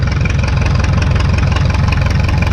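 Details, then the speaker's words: 1952 McCormick Super WD-6 tractor started on gasoline and warming up before switching over to diesel; deep, even, low thump at a steady slow idle with no knocks or misses; burning clean: normal idle. "I'm not quite sure how to explain that the difference in the sound except for to say that you know it sounds like it's written you know like it's running a little bit better on the gas"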